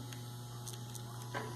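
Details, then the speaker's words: Wahl clipper, Keep blade: a steady, low, heavy buzz with a rougher edge, caused by a loose, worn internal connector from long use. "e ela tá folgada Então tem um desgaste aqui dentro que vai fazer isso"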